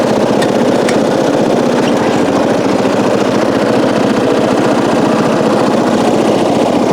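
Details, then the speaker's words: 1994 Coast to Coast riding mower with a Briggs & Stratton engine, revived after years abandoned, new spark plug, gas of unknown age, being driven: steady, even single-cylinder chug with an unbroken beat, no misses or knocks; normal running. "Well, now what do? It runs really well. Wish I could get it to start on its own, but that would take a new battery, working on the starter switch. But we do have a good working engine."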